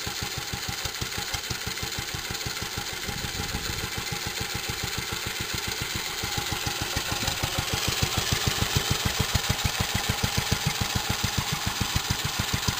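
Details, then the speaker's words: Restored 1946 J.A.P Model 5 stationary engine, now warmed up and running with the choke open: a slow, even, clean thump with no misfires. Normal warm idle. "Now she's warmed up. She'll run with the choke open. And once she's warmed up a bit more, it runs even better."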